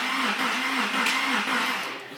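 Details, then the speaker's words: Porsche 911 first startup, possibly short of fuel; starter spins the engine with even compression pulses about four per second and a harsh whirring overtone; abnormal cranking noise, cause unclear. "it's cranking did you hear that oh what was it it s it didn't sound like that when we at"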